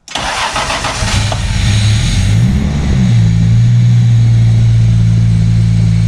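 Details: MK3 Toyota Supra after the Crispics igniter-ground mod and with the igniter now plugged in properly, previously not firing: cranks briefly, catches, then settles into a steady, even idle with no stumble or misfire, much smoother and calmer than before.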